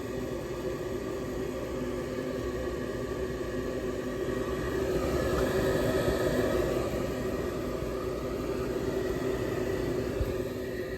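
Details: Older York gas furnace after its locked-up draft inducer was repaired: the blower comes on with a steady, even whoosh and low hum and no rattles or squeals, so the furnace is operating normally.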